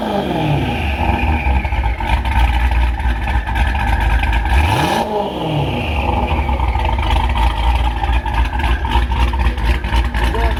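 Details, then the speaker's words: Dodge Hellcat Charger with Hellion twin-turbo kit, after its exhaust leaks were fixed: revving gives a deep, even exhaust roar with turbo whistle swooping up and down, much quieter and cleaner, with no leak ticking. Normal revving with turbo whistle. "You guys hear how quiet the motor is? Listen. Wow, you can hear the turbos more and everything. This thing sounds ridiculous. So much cleaner."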